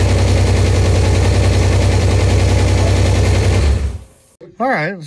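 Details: Buick Grand National newly built engine, first start, run for about 30 seconds before a leak check: fires at once and settles into a steady, even idle with a firm exhaust pulse, no knocks or misses. The engine runs normally.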